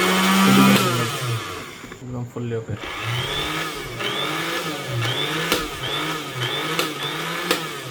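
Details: Nova 350 W blender that would not spin, heard after repair (unsoldered wire joints were soldered). Motor spins up to a high whirring hum that rises and dips slightly with load and runs freely. Normal running.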